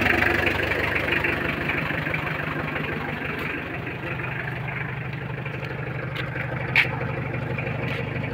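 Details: Mitsubishi L300 4D56 diesel after repairs, started following glow-plug preheat: even diesel clatter at a steady idle, about four beats a second, no squeal or belt chirp; idles cleanly.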